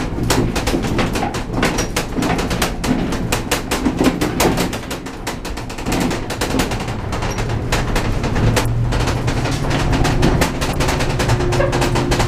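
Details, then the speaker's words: Heard inside a towed horse trailer on rough roads: constant rapid metallic rattling and banging over road rumble. It comes mainly from the loose rear door, with the ceiling rattling too; weather stripping on the door is planned to quiet it. "get on some rougher roads in a second that door though is going to be really rattling I'll have to put crimson on that door so the ceiling is rattling right here"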